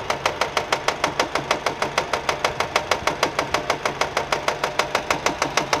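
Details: Nissan at quiet idle with sharp, very regular slaps about five per second; engine found fault-free, noise came from a fraying alternator belt flicking against the metal body.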